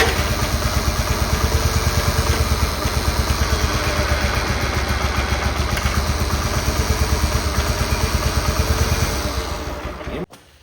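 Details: Cub Cadet 1211 lawn tractor after a transmission replacement and creep adjustment: a steady, even low thumping of the small engine ticking over with a regular beat, then a clean shutoff; running healthy.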